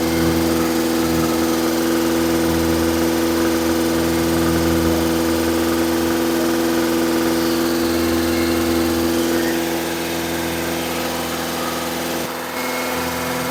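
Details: Engine at fast idle for cam break-in, third start-up attempt, cranked via screwdriver at starter: steady even hum, no knocks or misses; battery about 18 V; lifters louder than expected; oil leak at switch; running smoothly.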